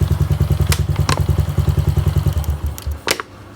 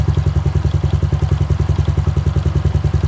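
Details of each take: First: Honda Wave 110i running, then water sprayed on the spark plug cap area: steady single-cylinder thumping falters and dies within a second; stall caused by a leaking spark plug cap. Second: Honda Wave 110i after the spark plug cap was refitted, tightened onto the lead and tested with water spray: steady even single-cylinder idle at about ten beats a second, no stumbles; now runs normally when wet.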